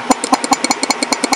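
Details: 691cc opposed-twin Kohler Magnum swapped into a lawnmower, on a hot day. Its small mechanical fuel pump mounts into the block. Crisp, even ticking of about ten pulses a second, alternating strong and soft beats: good diaphragm, normal pump operation.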